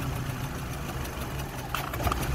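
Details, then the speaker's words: 2005 VW Golf Mk5 1.6 (BGU) petrol idling rough with heater off and engine light on: wavering, stumbling low rumble, worse than with heater on; owner suspects too much air in the system, PCV hose involved. "worse i think maybe too much air in the system"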